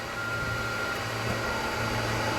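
Steady even roar with a constant low hum and no popping, surging or misfire; the heater is lit and burning smoothly.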